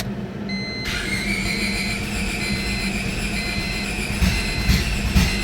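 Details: EK Honda Civic with a D-series engine on a swapped ECU running a stock B16 base map, on a first start attempt: it catches after a short crank and settles into a steady run with a few revs.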